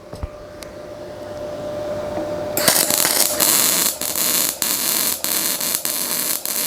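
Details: Ramco 120 A MIG welder being tested with CO2 gas, compared against running without gas: a faint hum, then a steady crackling sizzle with brief breaks as the trigger is pulled. Normal MIG arc.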